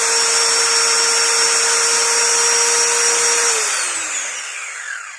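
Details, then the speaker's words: Maktec MT90 angle grinder repaired after dying completely from a broken brush-holder socket wire to the winding: a high, steady whine at full speed, then a smooth coast-down after switch-off. Runs normally. "Mantap ya, udah nyala lagi guys. Jadi penyakitnya itu dari kabel soketnya ya, soket yang ke rumah karbon brasnya putus dari apa namanya gulungan"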